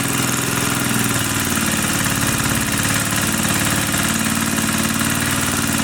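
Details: 1980 power tiller (rotovator) with Briggs and Stratton single-cylinder engine, after restoring spark: steady, even chug with no clacking or misses; runs fine, carburetor cleaning may not be needed.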